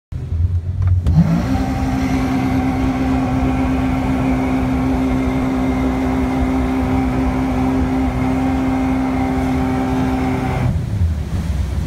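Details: Port outboard at wide-open throttle on a hole shot, starboard engine at idle: it flares to high revs almost instantly and holds a flat steady howl as the propeller cavitates.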